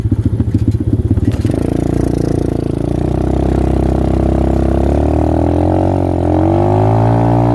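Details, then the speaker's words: X-PRO single-cylinder dirt bike after full-throttle hill runs: stumbles unevenly, then revs roughly with a wavering note; owner blames a misbehaving carburetor, cause unconfirmed; rough running. "I don't know why my damn carburetor is acting like this."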